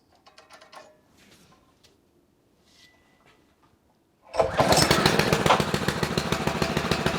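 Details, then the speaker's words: Bocart off-road go-kart, Honda GX160 5.5 hp four-stroke, parked 10 years, chain removed, choke on: after cleaning the gummed-up carburetor of stale fuel it catches and settles into a quick, steady, even single-cylinder thump; healthy. "So that was a pretty easy fix. And this is very often the case on engines that has been standing for a long time."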